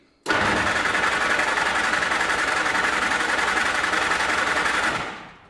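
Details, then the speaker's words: Flat-fender Jeep with a carburetor, cranked in neutral after frame repair and a newly added alternator and air cleaner, no fuel through the carb in a while: steady fast starter churn for about five seconds that never fires. "it's been a while since we've done this we added an air cleaner we haven't had fuel running through the carb in a while"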